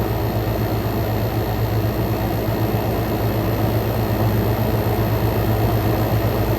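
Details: Frigidaire Gallery GHWQ103WC1 10,000 BTU inverter air conditioner, inverter compressor at full power, about 44–46° air out: steady even low hum and fan rush, no knocks or rattles; suction line sweaty, fan smooth; normal running at full power.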